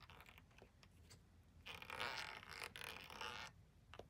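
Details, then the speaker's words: Tesla Model X front air shock (air strut) removed during replacement, worked by hand: quiet, irregular dry creaking and scraping bursts; creaky strut that the owner plans to fill with lube through an injector needle. "got a injector needle so I might you know put the injector needle in there and fill that full lube and yeah CU that's that's creaky"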